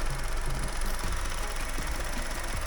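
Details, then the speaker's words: Car engine on the ramp, running under load, with short "geek" chirps about every 0.4 seconds over a low rumble; it doesn't happen when cold, and the mechanics suspect a pipe, source not yet found. "Yeah, it's like when you initially load the engine and when you're driving along you put it under load, it's like geek, geek, geek, geek, geek."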